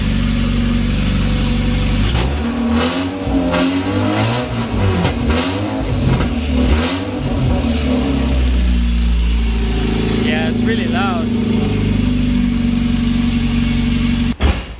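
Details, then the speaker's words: Mazda MX-5 Miata with eBay aftermarket headers replacing cracked leaking OEM header, running open headers with no pipe behind: very loud raw bark rising sharply with each throttle blip, no muffling; straight pipe or muffler planned. "so yeah have to turn it off real quick but yeah it sounds really loud it's just from the white pipe out"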